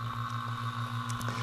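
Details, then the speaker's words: A/C vacuum pump connected on the low side of a 2002 Chevy Avalanche 5.3 Vortec V8 whose system leaked to zero refrigerant, pulling vacuum: steady, even buzzing hum with a fast regular pulse. Running normally. "Just a vacuum pump right here. Turn it on. Boom."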